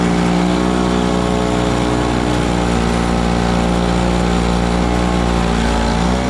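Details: Small Frontier backyard snowblower clearing snow from a shop floor in cold weather: a steady, even buzzing drone that holds its pitch while working. The engine is healthy under load.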